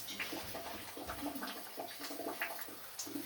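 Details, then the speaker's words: Eldom Invest/Diplomat 80-litre electric water heater, being drained for about 15 minutes before removing the flange: soft, steady trickle and gurgle of water still running out through the hose. The seal later found blackened and falling apart. "And it's still draining, you can hear it."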